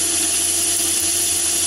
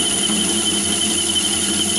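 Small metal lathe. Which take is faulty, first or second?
second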